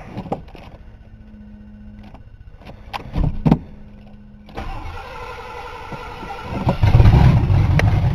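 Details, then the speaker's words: 1982 Ford Granada with vacuum gauge fitted, plugs and wires reinstalled: several seconds cranking, catches and stumbles into uneven lumpy idle, way too rich; almost no vacuum while cranking, owner suspects seals. "way too rich well I think I may have found my problem or at least part of it big part of it while I was cranking I had my back engage hooked up and I had almost no vacuum"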